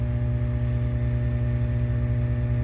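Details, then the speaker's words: Aerobic septic system diaphragm air compressor after rebuild with new diaphragms, chamber blocks and air filter: steady, even low hum with a soft regular pulse, no rattle or flutter; running normally. "And after the air compressor is rebuilt, it should sound something like this."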